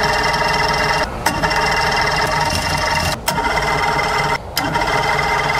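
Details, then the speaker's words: Mercury Force 120 four-cylinder outboard, dead 12 years, cranked on earmuffs without starting; a raspy, steady whir keeps going with only short breaks as the starter stays engaged and won't disengage. Owner suspects the carburetors need cleaning or rebuilding. "Starter doesn't want to disengage either. Looks like I'm gonna have to either clean or rebuild those carburetors."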